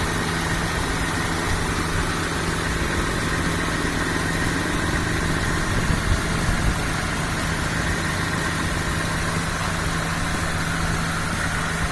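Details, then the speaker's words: 1997 Honda Civic Ferio automatic, original 1997 engine: steady low idle hum with an even beat, no knocks, stumbles or rattles over twelve seconds, minimal vibration; smooth healthy idle. "Untuk usia mesin, ini usia mesinnya tahun 97 sesuai usianya. Langsam ya. Ini minim getaran."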